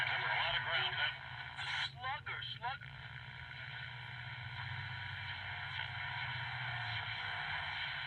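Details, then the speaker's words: 1946 Philco 46-421 table radio at max volume: a station plays but sounds thin, muffled and buzzy with almost no bass. Owner suspects a bad speaker or output transformer. "Well, here's some news. I think the speaker or the transformer is bad."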